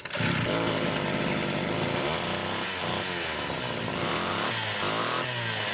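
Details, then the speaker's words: Rebuilt Homelite Super XL SDC carburetor test-run on a known-good test saw with a Phelon electronic coil: at full throttle it burbles and four-strokes unevenly instead of screaming clean; rich on the high-speed side. "Definitely rich on the high side. That's interesting."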